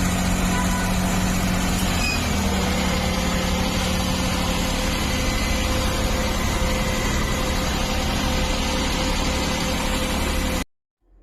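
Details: CNG car with a stalling problem, after repair, started and shown running: even steady idle at constant pitch, smooth beat, no misses or stumbles; healthy.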